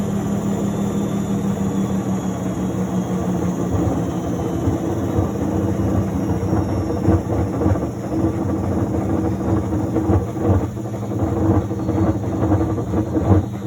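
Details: Miele W1113 washing machine: deep steady drone with a low hum that swells and pulses toward the end, likely during spin; owner asks whether the machine is broken, cause not evident.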